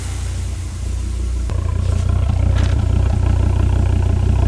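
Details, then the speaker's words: Volvo S60R after repairing a burnt valve with the head off, timing marks confirmed lined up; codes P1167 and P2135 present, less smoke; the engine pulses evenly and builds steadily with no stumble or ticking; much better than before; normal running. "sounds a lot better than it did when it had the burnt valve"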